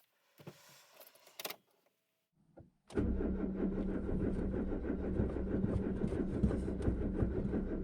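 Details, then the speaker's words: Peugeot 205 petrol engine on cold start at about −10°C, on three-month-old stale full ethanol, with blown head gasket before repair; after some rattling it runs unevenly, stumbling and missing one cylinder. "elle a plutôt bien démarré pour une voiture qui a moin 10 à full éthanol l'éthanol qui date de de 3 mois qui est périmé en plus avec un joint de culasse un cylindre en moins comme on l'entend et elle tourne"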